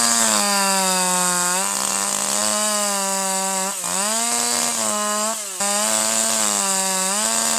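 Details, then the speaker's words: Older manual piston-ported chainsaw, H screw set too rich: high wailing at full throttle lifted out of cut breaks into burbling uneven stutter; leftover fuel and soot stop ignition so cylinder skips firing, rich four-stroking. "So, the fuel to air mixture is even richer than before. Plus, there's extra soot in there, which makes it harder for combustion to take place."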